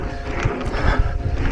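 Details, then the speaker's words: Specialized Levo Gen 3 e-MTB headset gives irregular low creaks and pops as the bars move; fixed by disassembling and cleaning the headset. "the thing I want to do today is it's the headset has developed a creek"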